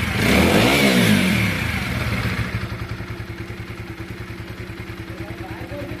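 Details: TVS Apache RTR 4V motorcycle after an original timing chain was fitted and the rockers adjusted: a throttle blip, then a smooth, evenly spaced idle with no ticking or chain rattle; normal.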